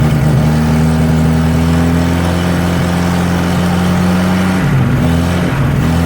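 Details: 1963 Nissan Junior ute, sat 15 years, first start with a leaking carburetor: uneven, hunting idle with a dipping low beat, won't hold idle and seems lean, running better on choke; rough idle.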